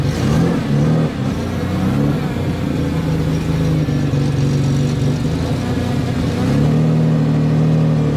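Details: 1992 Ford Explorer, 4.0-liter, 5-speed junkyard truck, loaded to reveal a miss that might not show at no-load revs: a steady, even drone rising and settling with revs, no stumble or skip. It runs smoothly under load.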